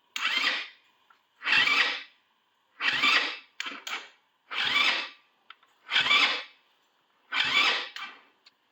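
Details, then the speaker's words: Four-wheeler with a known good battery swapped in: seven short whirring cranking bursts, each under a second, no catch; suspected weak starter or its wiring, not confirmed. "sounds like sounds like a weak starter that are wires going to it"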